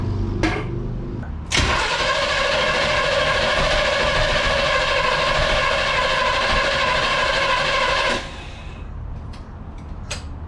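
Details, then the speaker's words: 1969 Impala after 20 years, with oil down the cylinders and fuel poured down the neck: about six seconds of steady buzzing cranking that never catches; timing suspected off, plug wires possibly one position out. "That means timing's wrong. Yeah. Go for it. The timing's off."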